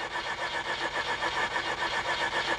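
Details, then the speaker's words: Mazda RX-8 rotary, flooded: fast even cranking about five pulses a second, no firing, accelerator floored about 7 seconds to clear fuel from combustion chambers. "to dech choke the engine hold the accelerator pedal to the floor and crank the engine for about 7 Seconds to clear the fuel from the combustion"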